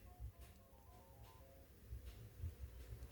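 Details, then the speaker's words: Samsung Galaxy S25 Ultra in-call (earpiece) speaker test in Phone Diagnostics: a short, quiet melodic test tune plays cleanly with no crackle, buzz or distortion; speaker working normally. "First, the phone will test the in-call speaker. Tap Play and you will hear a test sound."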